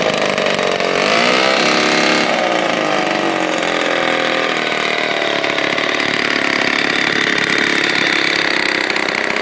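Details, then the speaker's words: 1949 Lombard OMS chainsaw with Homelite-powered motor, first start after a full rebuild with all-new internals; it had been locked up and sat in water. Crisp two-stroke buzz rises with throttle then runs steady; normal running. "Collier's gonna go ahead and give him a start right now. We'll listen to this thing run."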